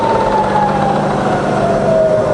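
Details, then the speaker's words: Fully rebuilt Bridgeport milling machine, variable speed head in high range, spindle swept to top speed then down through 2,000 and 1,000 RPM; smooth whirr gliding lower, no rumble, knock or grind. "okay so let's go all the way to the top that's to 9000 that's 2,000 back down to a thousand"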